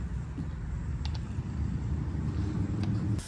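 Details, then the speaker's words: Air line for an impact gun used during a car fuel pump replacement: a steady rushing hiss with faint clicks from a leaking air fitting, then a sharp cutoff. The fitting needs replacing. "Okay, sorry about that. Forgot to put the air on. So ignore the leaking air fitting. I need to replace it."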